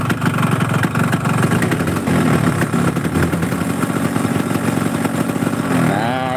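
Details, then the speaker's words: Yamaha RX two-stroke motorcycle with a rough-sounding engine, blipped lightly: a loose clattering rattle rises with each throttle opening. The mechanic says the piston is noisy but the connecting rod (setang) knock is loudest; incomplete combustion from fuel or ignition is also suspected. "suara mesinnya ini suara pistonnya bunyi tapi nggak kedengeran sekarang suara setang yang paling kenceng itu suara stang ya Bos"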